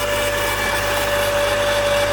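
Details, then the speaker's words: 1999 Mazda Miata, 190k miles, cold start after nights in the low 20s: steady mid-pitched whir at constant pitch over the cold idle. Owner says it has always made this noise and it goes away once warm; source unknown. "noise it has always made that noise and it goes away once it's warmed up"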